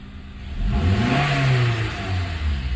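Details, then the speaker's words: 2009 Acura TSX petrol engine after a misfire repair; it revs up smoothly and settles back with an even note, no longer showing the earlier rough judder. Normal smooth revving. "sounds pretty good revving up all right the exhaust you can right we're back to wiring all perfectly not having that that rough little jutter"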